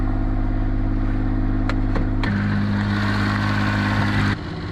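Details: Suzuki Alto Works idling, hood open, after a breakdown, battery swap and fuses found fine: even idle hum with a steady low beat, slight shift partway, no knocks or squeals. Normal idle.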